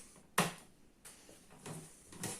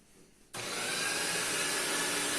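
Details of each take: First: Paper shredder run with paper bound on the roller ends; after a few clicks the motor spins up to a steady, even whir as the jam grinds free, cutters turning freely again. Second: Paper shredder with paper jammed in cutter head, run forward with paper inserted; motor starts into loud rough hissing grind that steadies as stuck paper is ground finer until cutters free up.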